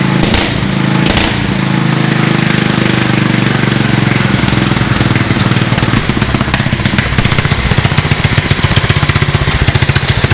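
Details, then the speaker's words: 19 hp Briggs & Stratton riding lawn mower engine fitted with a four-stroke 450 dirt bike carburetor, first start: loud thump idling evenly, then crisp rapid revs picking up cleanly and snappy; engine healthy. "oh my gosh that's loud going idle I it's going even idle give her ack that's awesome that's a little better pretty Snappy"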